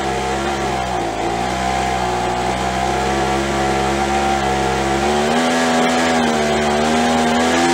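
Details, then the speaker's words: After carb cleaning, carb kit and trigger modification so throttle fully opens and closes, Craftsman (MTD) B2000 25cc two-stroke blower (had "wont stay running"): buzz climbs cleanly on throttle, holds, settles back to ~2700 idle without stumbling; fixed. "settling right back down on the way that'll stay fixed but it's fixed now"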